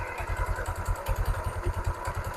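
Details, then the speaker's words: Motorstar Easyride 125 scooter idling after its CVT was cleaned and joints oiled with gear oil: a steady low thump, without the earlier grinding/cricket noise. Normal CVT sound, though the slack belt still needs replacing. "na yung pinagkaiba ng tunog kaya kanina na gilingan kuliglig Nagbo ngayon ito na Um okay na yung tunog niya kahit papaano"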